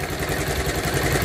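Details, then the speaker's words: Bajaj Pulsar 180 after repair of a stalling problem; the clutch was also badly worn. At idle, a loose clattering connecting-rod knock sits under the exhaust note, with busy ticking from a noisy camshaft. The owner only wanted it running. "jadi suaranya wajar kalau arah ngeletek kayak gini karena yang mempunya motor juga udah bilang Mas yang penting motornya hidup dulu ya"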